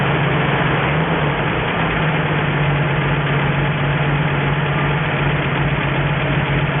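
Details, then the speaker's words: 1963 Ford F350 truck, first start in about 20 years, running off an auxiliary nurse tank with a cherry bomb muffler: steady, even low idle with a smooth rumble, no knocks, misses or surging; normal healthy idle, coolant needs topping up. "Need to put some more water in there, but it's got water, and she's running good."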